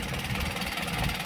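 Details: Isuzu 4HG1 diesel in Japan surplus truck, original never-overhauled engine with fresh oil change: even steady diesel clatter at settled idle, regular beat, no misses or knocks; healthy engine.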